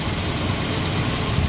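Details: 1972 Monte Carlo, factory 402 big block, long sitting, running off a fuel jug: big V8 holds a steady, even low rumble at idle with no knocks, misses or ticking; healthy normal idle.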